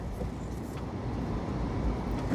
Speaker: I'm just touching the brakes cuz we're trying to find some squealing here. Off. On. Turning the wheel as we do it. No issues. No issues.